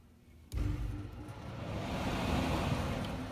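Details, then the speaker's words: Goodman air handler blower that was not working, bad capacitor replaced, black fan wire jumped straight over; blower kicks on abruptly then holds steady rushing airflow with a low even hum, runs normally. "Okay, so I'm going to take this black fan wire and go straight over here. And it actually is bringing it on."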